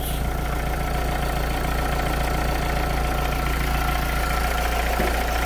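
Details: Renault Clio II dCi diesel after repair of failed alternator pulley, idling before road test: steady even idle with smooth low drone, no squeal or rattle from the belt end, healthy.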